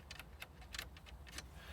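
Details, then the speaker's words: 2012 Jaguar XF (X250): light, irregular plastic clicking and tapping from the loose driver's-side dashboard air vent surround, rattling at certain road frequencies. "if you look at this one you can hear so that when you just have the right frequency when you're driving over the right kind of Road you'll just hear this"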